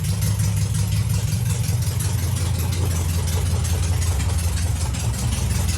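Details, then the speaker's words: VW Beetle under renovation, air-cooled engine idling cold on choke: a low, even thrum with regular firing and no stumbling. The idle is already surprisingly low for the choke position and seems to hold; a healthy idle, with running once warm still to be checked. "Déjà, le rythme moteur est ouf par rapport à sa position de starter. Il est déjà bien bas, il a l'air de tenir."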